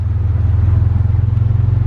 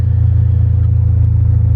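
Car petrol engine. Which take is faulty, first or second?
first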